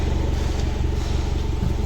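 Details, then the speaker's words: Hyundai i10 petrol, heard at the exhaust while the accelerator is pressed: a low putter whose beat stumbles now and then. An engine misfire; the fix is cleaning and refitting the spark plugs. "As soon as you press the accelerator, you'll listen to this noise. It will miss."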